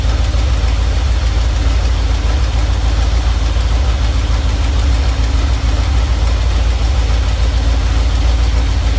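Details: Normal idle from either the 1977 Ramcharger 440 or the 1968 D-100 318 being revived: a steady, lumpy V8 beat with no knocking or misses. It runs at about 800 rpm with timing about 3° ATDC, at 185°F operating temperature, before a compression test.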